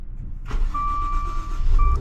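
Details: Maserati engine starting after the dead aftermarket key was fixed with a new battery: fires promptly and settles as a dash chime sounds twice; clean start with nothing rough in the brief run.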